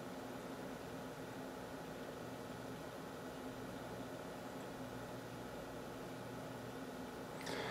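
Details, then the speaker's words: PC with H220 cooler, normal configuration, all fans connected, side panel on, SpeedFan slowing fans: quiet steady low hum with faint even whir, no rattles or pulsing, under 40 dB versus 30 dB off; normal PC idle. "as you can see the actual sound at idle is actually quite low it's almost i want to taste off he's not silent but it's enough to be under 40 decibels"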